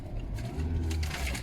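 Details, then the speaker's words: Lada Vesta, 75,000 km, with the check engine light on; low, uneven lumpy rumble running rough on gas, a misfire, and runs normally once switched to petrol. "Да уж, черт знает, загорелся индикатор неисправности двигателя , просто... не знаю. Когда я ушла на смену, всё было в порядке. Контрольный сигнал двигателя работает. Она ужасно глючит."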